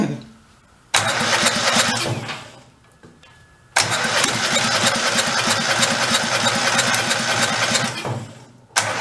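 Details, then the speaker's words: 2000 Terramite T5C compact tractor loader backhoe engine, carburetor off, fed fuel down the intake: fires in loud bursts and runs with raspy exhaust drone, no clacking or knocking heard; sounds normal running. "doesn't sound clacky or anything let's go try one more time kind of hard to hear over the exhaust"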